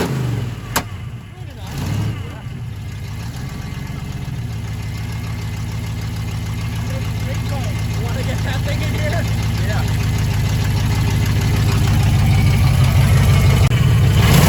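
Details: 1980 Chevy K30 small-block 350 V8 first start in a blizzard: rough cranking into a steady rising rev with lazy, hesitant pickup; timing off and no accelerator pump, alternator noisy, little blow-by.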